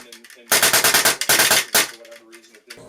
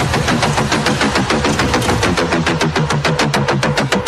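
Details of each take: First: when you hear a bit of like a raspberry farting sound coming out of your engine that's going to be your disconnector it is not engaging enough the worst case of this is your gun or kythera just shooting basically full auto with air Second: Polarstar Kythera airsoft gun at 130 PSI, after fixes to the sear, disconnector, loose engine fitment, airline and trigger alignment. Crisp evenly spaced shots in a fast continuous string with no stalls while dumping mags. Normal full-auto firing.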